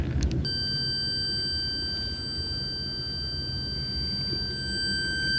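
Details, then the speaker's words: 1970 Sony Trinitron KV1210: steady high continuity beep from the meter on the top low-voltage rectifier diode. That diode reads shorted. "so the top one appears to be shorted that would be a real lucky situation if it was just a low voltage rectifier was shorted"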